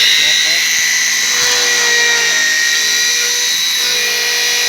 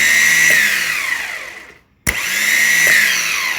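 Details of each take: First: Alfa Romeo 147 starter motor that was making noise, bench tested after service with a wooden rod loading the Bendix drive; high whine dipping slightly in pitch under load, then winding down; checking for a slipping Bendix, result unsatisfactory. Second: Alfa Romeo 147 starter on the bench after servicing, bridged from the main post to the solenoid post: two clean spin-ups to a steady high whine, each winding down smoothly with no grinding or rattle; starter spins freely.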